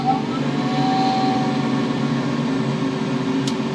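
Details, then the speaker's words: Boiler that had been ramping down after ignition on a very cold night, suspected air, gas or igniter fault, after reset: pre-purge combustion fan gives an even steady whirring hum with no rattle, then ignition. "Pre-purge, that's good. Ignition. This run percentage is what I'm watching."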